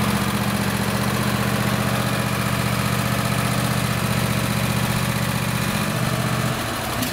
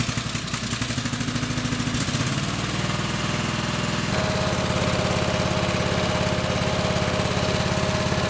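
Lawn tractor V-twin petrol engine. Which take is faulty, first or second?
second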